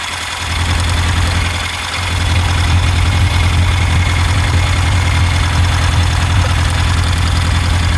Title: Misfire on cylinder 4